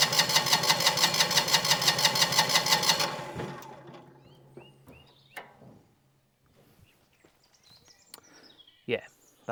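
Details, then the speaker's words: Single-cylinder diesel on a Winget mixer, stood a couple of years, with varnished fuel and no flow from the injection pump: steady cranking about three turns a second, no firing. Cranks but won't start; suspected stuck pump delivery valve. "So, I'm wondering whether she's just stuck. Um especially if it was on the at the top of his stroke as well. She could well be stuck up there and not coming back down to the cam."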